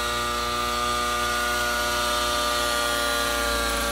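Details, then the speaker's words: Nova Rossi Icarus 91 nitro engine, on second break-in flight in a Gaui NX7 helicopter on VP 30% fuel, running rich on mid, at higher idle-up RPM: steady high buzz, even pitch, no surging; smoother, wants to pull. "Engine definitely sounds happier there. like it wants to pull."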